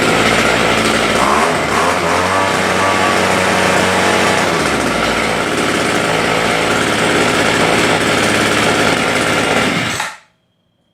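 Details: Homelite two-stroke rototiller after fixing a no-start where the primer bulb wouldn't fill: busy high-pitched buzz holding steady with a rapid even beat for ten seconds, then cutting off; the engine runs cleanly.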